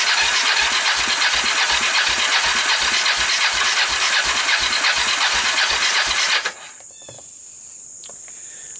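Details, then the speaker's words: Fire-damaged Kawasaki Bayou 300 single with about 60 psi compression, portable CDI and PZ27 carburetor; cranking about three strokes a second with choke and starting fluid under a loud hiss, never catches; low compression. "this engine had um kind of lousy compression so i was hoping with all the turning over and pumping oil through it and all maybe it uh it would recover a little bit remember was coming in about 60 60 is a little low you really need 90 or so for an engine to start"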